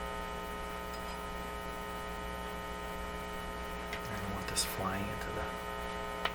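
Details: Canadian General Electric C701 console: constant low buzzing hum with steady tones and no music, mains hum in the audio; poorly shielded, unshielded wiring suspected, not confirmed.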